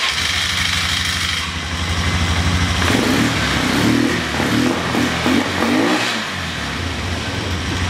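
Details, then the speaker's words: Polaris Sportsman 500 with an aftermarket carburetor, timing already checked, airbox fitted: single-cylinder thumps stumble and fail to pick up cleanly when the throttle opens. Owner suspects the mixture screw or valve adjustment. Engine bogging from an air leak at the airbox. "why does your machine bog down with the air box on but it runs good without their box so I'm going to show you what this does with the air box on"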